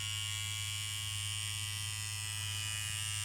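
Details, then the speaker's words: KillerBee tattoo machine run in after build, lower voltage: steady electric buzz with thin high whistle over the hum returning when needle pressure is unwound and needle retracted behind the tip. "And so now when I unwind the pressure off the needle, that noise starts to come back again."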